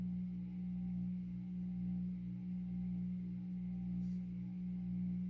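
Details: 52-inch Supreme Fan Mark III ceiling fan on low: loud steady hum with a slow swell about once a second; one section of the variable speed control is bad and owner suspects the controller causes the noise.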